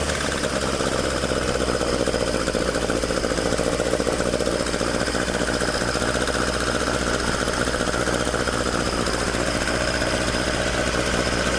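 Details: Toyota AE86 with 4A-G engine after exhaust leak repair, stock exhaust: even, rapid exhaust pulses at a constant idle with no hiss or chuff from a joint. Normal idle with a tight exhaust.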